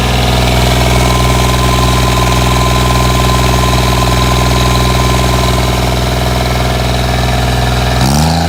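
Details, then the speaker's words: 1986 John Deere 330 diesel tractor: even, steady diesel chug at idle with no knocks or misses, then a clean rise in revs at the end; runs really good with a little black smoke. "As you can hear, it runs really good. Rolls a little bit of black smoke, which is pretty sweet."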